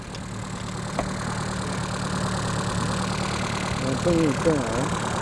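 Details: Reliant Robin idling after fitting a more powerful replacement alternator, now charging at 14 to 14.8 V. A steady low drone with an even beat and no knocks or misses; a smooth, healthy idle.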